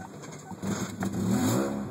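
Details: 1997 Kia Sportage petrol engine turns over quietly, hard start, then catches abruptly and revs with an unsteady, wavering note; mystery misfire persisting at steady throttle, cause unknown.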